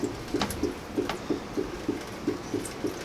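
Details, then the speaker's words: Four-year-old water heater (leaking relief valve, inconsistent heating, reportedly about 4 inches of sediment) drained through a hose on the drain valve: uneven gurgling pulses, a few each second; air-locked tank draining very slowly even with the valve wide open. "So the water is starting to drain out very slowly. I'm just going to open it wide up. And we can hear it draining, but it is draining very slow."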